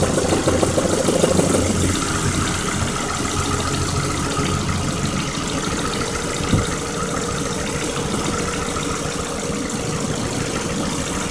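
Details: 2003 Ford Focus ZTW idling: soft, uneven knock about three a second riding on the petrol engine, source not pinned down; owner suspects rod knock, unconfirmed.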